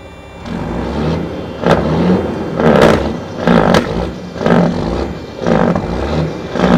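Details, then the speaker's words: Cabover big rig, jump-started after sitting a while: engine surges about once a second with scraping as the truck strains but won't roll because the brake drums are stuck; plan is to hammer them loose. "oh yeah they're stuck all right so this thing's been sitting here for a little while the drums are stuck so i'm going to go get a hammer from up here in the shop and slap them and break them loose"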